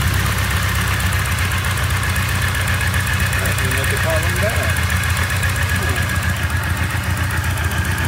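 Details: Engine idling with crankcase vent routed to the intake: deep loping, uneven idle pulsing near four beats a second; boost/vacuum reading slightly higher than the usual about -8.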